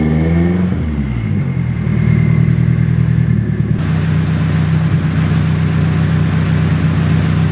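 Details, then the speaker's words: Nissan 240SX, first start in two years after a full teardown and rebuild onto a new chassis, temporary heater hose fitted: engine revs briefly then settles into a steady, even, loud raspy run with no knocks or misses; normal running. "Alright, that thing runs like a sewing machine. A very, very loud, raspy sewing machine."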